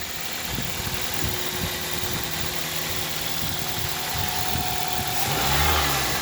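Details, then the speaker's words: Toyota Celica after timing chain tensioner replacement: petrol engine idles steadily, then a short rev, with no timing chain clicking; old tensioner suspected of insufficient tension. "and now I don't I don't hear that little minor clicking sound"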